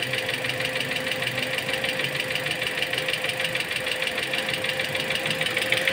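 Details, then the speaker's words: Toyota Altis idling while bleeding air bubbles from cooling system after AC compressor job left it without coolant: sharp even tapping about three a second over fan noise, knocking returned. Cause not confirmed. "aan naman yung naking niya bumalik na naman testingin lang natin t nawawala may naking kasi doon eh"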